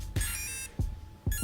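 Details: Team Associated RC8T3.1 nitro RC with Protek 170 SBL servos: short tonal chirps with soft thumps, repeating in bursts once the radio transmitter is switched off; servo no-signal warning.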